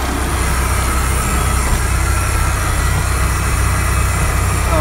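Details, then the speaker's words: 1993 Ford Louisville truck that sat 12–13 years, first run: the diesel idles with a deep, steady rumble and no knocking, though a drive belt is unhappy. Normal running. "I don't know if you guys can hear it, but the motor is liking life. Boy, it's running."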